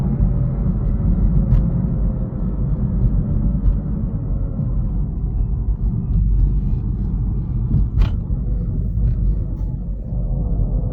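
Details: 2019 BMW i3 electric car: loud, heavy, rough low grinding rumble when slowing down as regenerative braking kicks in.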